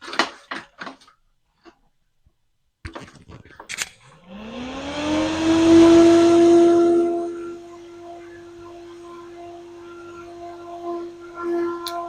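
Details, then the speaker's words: SMTime XY-12038B2H AC fan (rated 3300 RPM at 110 VAC, 40 dBA), serrated blades, at maximum speed: winds up to a steady hum with a thin, slightly odd tone, about 35 dB; cause unclear. "so that's not too loud um it's a bit of an odd noise it's Pro approximately 35 DB"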